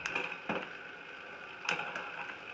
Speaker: So this is getting harder, this is getting easier. You can definitely hear it in the bike. You hear the clicking. So I just moved into the big ring, and you'll hear the gears drop.